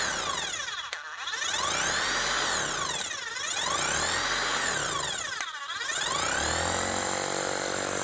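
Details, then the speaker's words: Bosch GSH 5 CE demolition hammer, under a year old, after warranty repair of a catastrophic gearbox failure with a new motor fitted: rapid, steady hammer blows over a smooth motor note, no grinding or clatter; normal hammer operation. "Now, what does she sound like? Hopefully a lot smoother. Sounds like she should sound like a new machine, because she is technically still a new machine."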